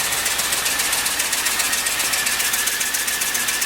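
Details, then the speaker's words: LS-swapped engine, freshly installed, coolant not yet filled: idle carries a regular stumble about four beats a second under a hissy, rattly tone, one cylinder missing; not a broken plug or loose plug wire, cause still being traced. "But it's missing for some reason. We gotta figure that out."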